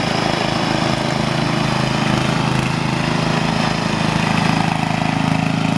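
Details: 1975-ish Snapper Comet 3081 rear-engine rider mower, 30-inch deck, 8 hp, restored and repainted, mowing a backyard: steady, even engine drone with a smooth firing beat and no misses or knocks; it sounds good, running healthy.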